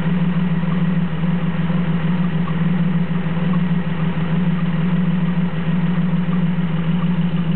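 Steady low idle with an uneven, lumpy beat roughly every second instead of a smooth run, typical of a cylinder misfiring.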